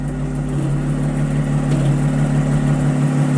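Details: 2010 Audi S4 petrol V6, barely warmed up, idles with an even steady hum and no stumbles after new coils, spark plugs and valve cover gaskets; the misfire is fixed and the check engine light stays off.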